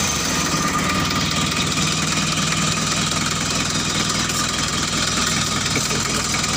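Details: Mitsubishi L300 diesel just started after engine overhaul, injector lines bled: steady diesel clatter at an even idle with no stray knock or miss; rebuilt engine sounds healthy.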